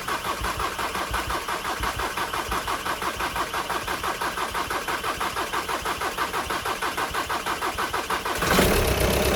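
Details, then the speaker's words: VW Sharan 2.0 TDI common-rail diesel (CFFB), cold start after a week or two sitting, following injector removal, timing belt, fuel pump and filter replacement without bleeding; steady cranking about three beats a second for eight seconds then catches and runs evenly; self-primed fine. "So I want to show you the engine cranking over because I didn't do that. I just started it up. And this is how long it takes."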